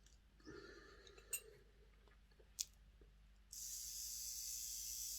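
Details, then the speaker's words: Hornby R066 Duchess of Sutherland model loco motor on battery test after fitting new brushes and springs and gear-oil lubrication; small motor whirs steadily at a high even pitch, much quieter, no grinding. "see it much quieter that is"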